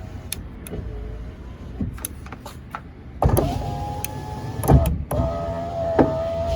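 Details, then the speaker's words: 2004 Ford F150 FX4 driver's side power window that would not roll up: motor whirs in short bursts with pops and clunks inside the door; intermittent fault, motor appears fine, owner suspects something binding in the door. "that window I know wasn't working before. That was my driver's side. I can hear it popping in there, but"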